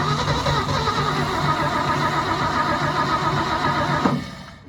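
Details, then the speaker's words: 1972 Ford F-350 V8 auction truck, chilly day: rough, uneven churning about four seconds then dies, won't hold or pick up; no throttle control, owner suspects a carburetor rebuild may be needed. "She wants to. Problem is, got no throttle here. May have to rebuild the carburetor, and that's not really what I wanted to do."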